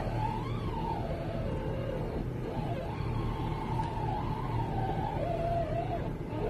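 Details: 2009 VW Touareg making a low moaning groan that wavers in pitch when the wheel is turned at low speed or standstill over a quiet idle; the cause was the power steering rack, which was rebuilt.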